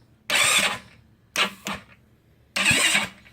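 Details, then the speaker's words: GY6 scooter engine after oil refill and top-end work, first start attempt on charger: three short starter bursts, each dying on its own in under a second, engine never catches; owner suspects an overtight cam chain. "So I'm holding it on, but it stops on its own. Not sure what's going on with it yet, but we might have to actually loosen the cam chain if it's maybe too much tightness on the cam chain, perhaps."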